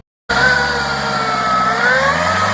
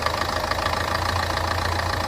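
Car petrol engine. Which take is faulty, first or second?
first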